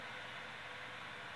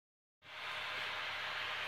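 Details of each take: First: CPU fan in an older computer after cleaning out the dust and re-applying thermal paste, with games running and the CPU at a constant 64°C: soft steady airy whoosh, no rattle, grind or whine; still audible but noticeably quieter, normal. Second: Older computer, before repair: a loud CPU fan with a steady airy whoosh and mid-pitched hum, heavy dust on the heatsink; fixed by cleaning the case, reapplying thermal paste and fixing a stalled case fan, lowering noise and temperatures by 20°C.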